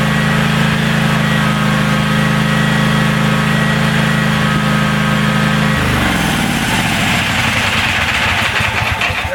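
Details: DR all-terrain self-propelled brush hog mower with a 17 hp Kawasaki, after a carburetor clean-out (owner suspected a clogged air bleed; it wouldn't run off choke): even, steady single-cylinder drone that drops and settles at about 5.8 s with no misses; running cleanly.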